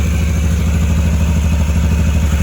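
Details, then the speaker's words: 2013 Can-Am Maverick 1000R twin-cylinder UTV idling with covers off: loud rapid ticking clatter over the engine throb, attributed to the primary clutch and gone when revved; check engine light on. "It's pretty loud. You can hear that like ticking noise. That's just the primary clutch. Like if I rev it up, you don't hear it."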